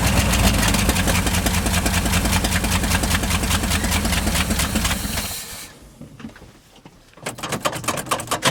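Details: 1971 International 1890 plow truck, 210,000 miles, abandoned since 2001, carb rebuilt, float bowls filled, fuel line left off: starter churns at an even two-and-a-half beats per second for about five seconds, never catches; not yet pulling fuel, cause suspected.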